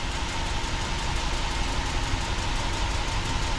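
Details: Toyota Sequoia warmed up hot at idle before an oil change: steady idle with a fast, faint ticking clearly from one side of the engine; owner suspects an exhaust leak, possibly a cracked manifold, not yet pinned down.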